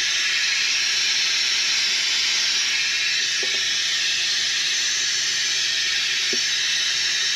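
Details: F-4 Phantom in hangar: loud steady high-pitched hiss; air leak around the strut, not the piston, source not pinpointed.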